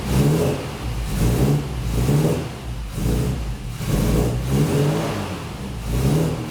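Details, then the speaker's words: Classic Mini Cooper idling after a no-run traced to the inertia switch, which just needed resetting: smooth running with a few gentle rev swells back to an even idle, no knocking or misfire; sounds pretty nice and healthy. "[Music] so she sounds pretty nice"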